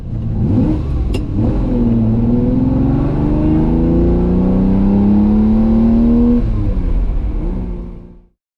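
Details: Ferrari 330 GTC after fixing loose heat shields: clean rev climbing smoothly and dropping back with no tinny rattle near the top; the 5000 rpm rattle was only a heat shield, now gone.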